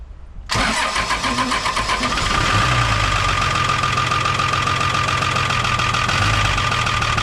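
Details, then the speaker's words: 1975 Chevy stepside pickup with Isuzu 6BB1 5.4L diesel, rebuilt injection pump and injectors: after finding injectors popping off too low, adjusting them and bleeding, it catches quickly and idles steadily with slight roughness and some vibration. Running properly now. "Oh yeah. Uh I mean I wouldn't say it's completely without vibration but it is"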